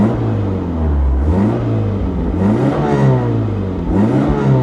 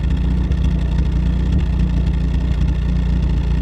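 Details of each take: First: Pontiac Sunbird with about 104,000 miles, which hiccups slightly at idle that the owner thinks is set too low: engine pitch climbs and falls cleanly with each throttle blip, smooth, no knocks or rattles; normal revving. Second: Pontiac Sunbird idling: low, lumpy idle with an irregular beat of three or four pulses a second and small stumbles or hiccups; owner thinks idle speed is set too low, clean when revved, cause unconfirmed.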